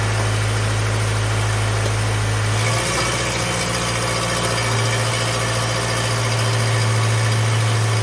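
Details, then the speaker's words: 2014 Subaru Impreza at idle, splash shield removed: low hum with loose buzzy rattle from under engine; exhaust leak at catalytic converter gasket suspected, now doubted, possibly something more serious, maybe torque converter; unconfirmed. "but it sounds like it may not be a gasket um sounds like it might not be exhaust leak after all something maybe even more serious"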